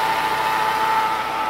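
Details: Peugeot 207/307 with the oil pan refitted and fresh oil, gauge on the oil pressure switch port: steady, even hum, no knocks or misses. Healthy idle with 4 bar oil pressure.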